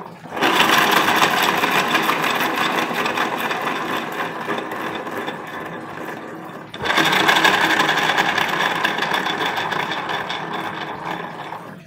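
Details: Honda Beat FI with rough-sounding CVT: two hand spin-ups of the rear wheel with rough whirring rattle rising and fading with speed; pulley sliding looks good, mechanic suspects worn pulley shaft bearing, possibly from empty gear oil.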